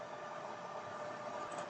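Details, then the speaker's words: Laptop cooler built from an old PC fan, running under the laptop: steady airy rush with a faint unchanging high whine, the fan screaming, very noisy but working normally; idle temperature dropped below 40 for the first time. "I think you can hear the noise about how the fan is screaming right now. It is very, very noisy."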